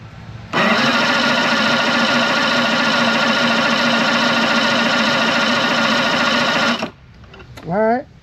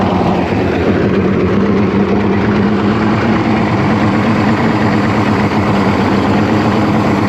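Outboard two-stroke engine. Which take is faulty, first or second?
first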